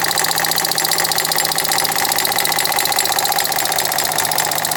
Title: 2012 Ford Fiesta knocking sound (water pump & belt already replaced) 02/07/2020